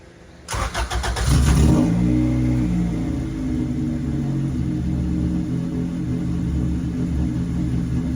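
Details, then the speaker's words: Zero EG Civic with a B20 swap, coolant drained and not yet bled, idles a little funny with an uneven hunting beat but no longer dies; the owner suspects air in the cooling system and possible hesitation, with a bad exhaust. "so idling a little funny but I think it's because it needs the cooling system bled hopefully but at least it's not dying now so that's a big plus"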